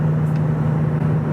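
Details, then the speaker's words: Steady low humming drone holds under road noise at a 2,000 rpm cruise in a 9th-gen Honda Civic Si; resonance from the cheap $170 aftermarket exhaust, which the owner plans to replace. "By the way, can you guys hear that exhaust drone? It's at 2,000 RPM. Yeah. There it is. That's my $170 exhaust."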